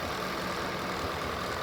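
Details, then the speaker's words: 2013 Ford F-150, 5.0 L Coyote V8 (no GDI, no turbo), 149,000 miles: relatively quiet, smooth even idle with faint light ticking from the valves and cam, which is normal; normal idle with light valvetrain noise. "You can hear a little noise in the valves and the cam. That's totally normal."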